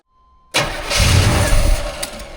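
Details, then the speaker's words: Classic vehicle that sat untouched in a barn for years, 1984 Monte Carlo SS or 1990 Ford F-150: cranking with fuel squirted into the Quadrajet carburetor, a couple of uneven firing bursts, then dies as the primed fuel runs out; nearly starts. "Did y'all hear that? That thing almost started. It probably just sucked that little bit of fuel I had in there."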